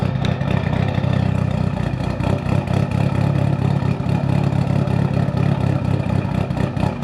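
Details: Built Mitsubishi Evo 8 on Kelford 272 cams, exhaust fitted and wideband wired: deep, uneven loping idle with a choppy rolling pulse holding steady; normal lumpy cam idle.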